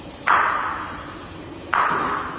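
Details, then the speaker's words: Golf ball tap test on tile during final inspection of a new-build home; two sharp taps, each ringing with a hollow, drawn-out rattle instead of a solid click; tile not bonded, hollow-sounding, needs to be fixed. "And that's what it shouldn't sound like. Needs to be fixed."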